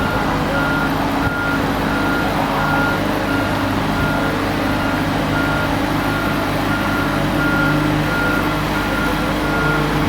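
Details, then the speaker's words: Boatyard travel lift, operated by yellow remote box: steady diesel rumble with a clear high beep about twice a second while traveling; normal motion warning working. "In case you're wondering who's handling the travel lift, there he is right there with the yellow remote control box. Big smile on his face. And you can hear it beeping."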